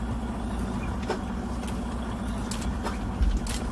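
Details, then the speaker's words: Freightliner Cascadia truck: low rumble broken by scattered dull clunks when taking off or over rough road as the cab shifts, caused by a broken cab mount that needs replacing. "that noise over there and especially when you go on a bad road like this he's gonna make a big noise when I hear it really what you hit it so that is cows because the motor mouth is broken"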